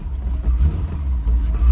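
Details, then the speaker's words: Auction-yard manual-transmission car at about 90°F, right after start-up: uneven, lumpy low rumble with surging revs, runs poorly; possibly partly unmetered air from an unhooked intake, not confirmed. "not very good at all maybe part of that is cuz that intake is unhooked it's like getting un unmetered air in there"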